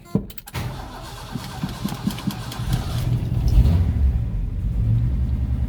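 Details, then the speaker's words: Ford project car after shock mount and fuel tank repair: starter cranks briefly, engine catches within a second and settles into a steady, even idle; owner says it sounds mint, healthy start. "we go she's all good she sounds mint alright guys well see if she idols she sounds like she's idling good now"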